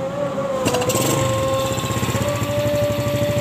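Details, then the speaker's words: After fitting new piston rings on a Vega ZR motorcycle, whose rings were all stuck, and replacing a rubber seal, the right-side engine knock is gone: steady, even idle pulse, no knocking. "Klotok di bagian mesin kanannya sudah tidak ada teman-teman"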